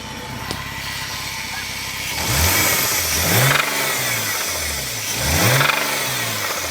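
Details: Engine quiet at idle, nothing heard there; two sharp rev-ups where a knock comes in with the revs; cause not clear from sound alone; knock under revving.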